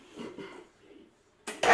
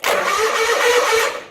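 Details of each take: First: John Deere 317 garden tractor, battery reading 12.65 V but dropping while cranking: six slow, laboured cranking strokes about a second apart without catching; weak battery or starter suspected, fault later traced to the PTO. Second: John Deere 317 garden tractor after fitting a new starter (part 410 21021): brisk, even whirring crank with no drag or hesitation; the starter now cranks fast.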